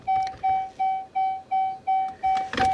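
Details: Dodge Charger after dead 12-volt battery charged, showing charging error and won't start: mid-pitched chime repeating evenly about three per second, eight times; dash warning alert, cause unconfirmed.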